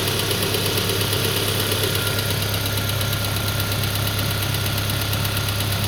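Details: Peugeot 407 2.2 petrol, cold idle, after new rings, valve lapping, new valve stem seals and cleaned extra-air passages, Total 9000 5W40 oil: light regular tapping knock; cause unknown, owner asks what it is.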